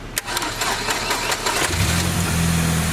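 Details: 2003 Saab 9-3 after a no-start traced to a loose starter: brisk uneven cranking, then it catches within two seconds and settles into a steady idle; the starter is engaging properly.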